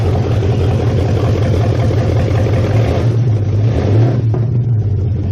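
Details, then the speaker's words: 1969 Mustang V8 first start after sitting, electric choke not yet hooked up, oil burning off top of motor: deep, even rumble climbing smoothly with throttle blip and settling, no misses or knocks, no smoke, good compression; healthy. "can tell has plenty of compression holy crap I think she's uh I think she's a runner it actually started out pretty easy for sitting for"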